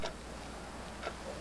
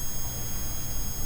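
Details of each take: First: 1990s neon novelty clock after repair with new custom pendulum and hands reset: faint, even ticks about once a second with no grinding or catching, so the movement runs normally. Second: '90s neon novelty clock with electromagnet-driven pendulum, powered on: constant low mains-type hum with thin high whine on top; clock buzzes badly when on, cause unknown, no fix found.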